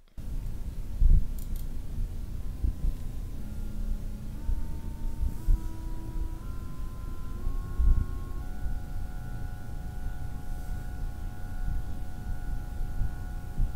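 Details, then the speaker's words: be quiet! Pure Loop 280 AIO cooler pump, non-PWM, about 5,500 RPM at 12V full speed, stepped from 50% to 100% and back to 50%. Faint tones rise and fall in pitch with pump speed over low hum; annoying pump whine. "It starts at 50% and I take it to 100% and then drop back down to 50% again."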